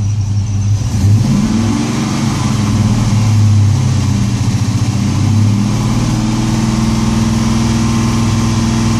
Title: LS1 misfire